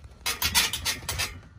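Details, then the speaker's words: A brand-new Sea-Doo Caravan trailer, rocked by hand, gives bursts of high, raspy squeaking. The noise comes from dry metal-on-metal rubbing at the suspension connections, not the leaf springs; greasing stopped it. "all that noise here's where it's coming from i thought it was the leaf springs over here it's not do it again keep doing it it's from all connections like this and this and this"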